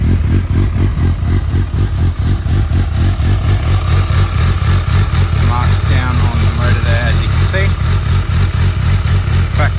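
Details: 2012 Suzuki GSR750 with Yoshimura carbon exhaust, 18,000 km, dropped with cosmetic damage, four-cylinder idling evenly then blipping up and dropping back cleanly with no knocks or misses; normal idle and revving.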